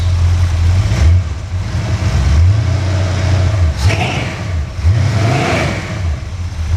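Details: V8 engine pulled from the truck Creampuff, just started on a test stand with exhaust fitted. Deep, even burble with a few throttle blips that rise and settle cleanly; a smooth, healthy idle.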